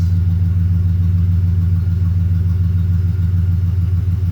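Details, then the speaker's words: 2008 Ford truck, 4.6 L V8, after owner's fix of month-long rough idle that also cut the air conditioning: deep, steady rumble at idle, even beat, no knocking, stumbling or shaking; running smoothly on all cylinders. "And it's not knocking. Let me show you something. Okay. See how nice and steady that is? It's not shaking and all that kind of stuff."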